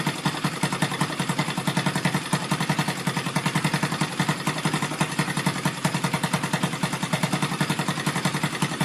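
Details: Rebuilt Yamaha Vega (Crypton) single-cylinder engine with balancer, running on the bench without a frame after a rebored cylinder and a larger carburetor: even idle about 3.5 pulses per second with light clatter on top; builder suspects the balancer.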